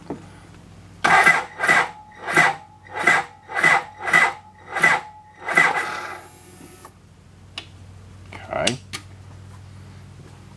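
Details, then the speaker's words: 1992 BMW K100RS after sitting 10 years, first crank: starter turns the engine in slow, laboured pulses about 1.5 per second; weak battery, and the starter relay may stay engaged when cranking slowly. "K-bikes, when they crank slow, the starter relay closes to do the cranking. If the battery doesn't have enough energy, it won't disconnect."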